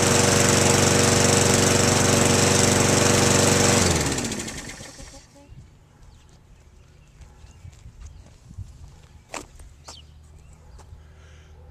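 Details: Lawnmower small engine after cleaning carburetor, fuel lines and spark plug and reseating the slipped float bowl seal: crisp, even firing at steady speed for about four seconds, then shutoff; runs cleanly.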